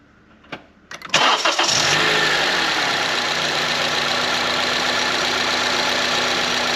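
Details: 2014 Honda CR-V 2.4 after replacing stretched timing chain, tensioner, guides, cam gear, VTC actuator and timing cover, first start: brief crank, catches at once, even steady idle with no rattle or chain slap; healthy.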